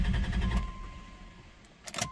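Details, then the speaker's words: 1990 Dodge Grand Caravan LE, first start after two months sitting, fuel tank refitted and nearly empty, primed: the starter churns briefly, then the engine catches and the low rumble fades to a quiet idle; normal start. "prime it up a little more it's alive I'm going to have to put more fuel in it cuz I don't I want to make sure that works"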